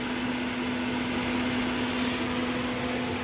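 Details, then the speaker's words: 2019 Chevy Camaro 3.6 with code P0128 and non-working temperature gauge, during thermostat and coolant temperature sensor replacement: steady, even fan hum with no engine running; cooling fan keeps running after shutdown, cause not confirmed. "Fan's still running."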